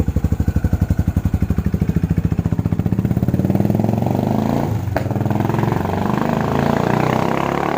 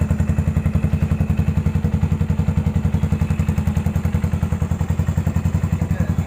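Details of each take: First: Rarely ridden Yamaha SR400 single that jerks and stumbles when accelerating: the thumps climb with throttle, then stumble and cut out; rust and sediment found in the fuel tank are blamed for the hesitation. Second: 2014 Yamaha SR400 single idling after rust flakes were cleaned out of the fuel tank: quick, even thumping with steady spacing and no stumbles or misses; a smooth, healthy idle.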